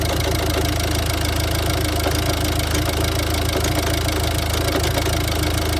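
Diesel idling with an uneven, lumpy clatter, about three pulses a second that never settle into a steady beat: rough idle.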